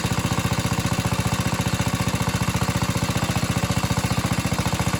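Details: Atco Suffolk single-cylinder lawnmower running with the choke off: steady, even thumping at about 220 beats a minute, no misses or surges; runs smoothly.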